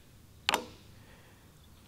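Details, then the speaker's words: Car AC compressor bench test with battery voltage applied directly to a good compressor's clutch wires: one sharp metallic click as the clutch snaps in and locks the pulley, a fainter click 1.5 s later; normal clutch engagement. "whenever you turn on the ac on your car if everything's in in good order your refrigerants at the right level and there's no issues all it does is apply voltage like this"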